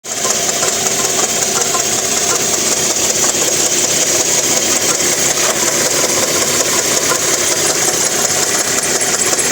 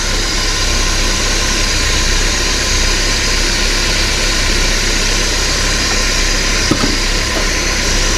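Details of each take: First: 1993 Porsche 968 with a right-hand-drive 3.0 four-cylinder engine running very noisily: a loud, busy chattering rattle caused by worn balance shaft belt chatter. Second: 1993 Porsche 968 3.0L running without the belts fitted: steady, fairly quiet idle with no chattering; the earlier chattering came from the cam belt catching the gear teeth.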